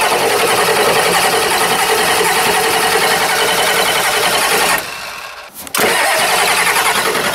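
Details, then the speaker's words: 1990 Ford F-Superduty with a naturally aspirated 7.3 IDI International Harvester diesel: long, labored cranking before it stumbles and catches into a rough clatter, followed by white smoke. Hard starting is shown as a sign of a bad, dying injection pump. "sign number one hard engine starting here we go"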